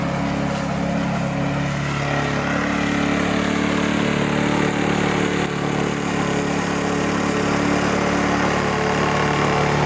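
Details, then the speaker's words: Lawn mower engine after carburettor cleaning, air filter service and spark plug cleaning; before, it smoked, sneezed, backfired and stalled. Steady, even drone that settles and holds without sputtering; good sound and revs. Normal running. "Я доволен Звук хороший обороты хорошие"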